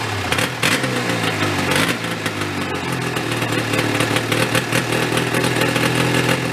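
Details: Yamaha 440 snowmobile two-stroke engine in a homemade golf cart, long unused, freshly fuelled: steady, buzzy idle that never rises; runs only on choke and won't rev.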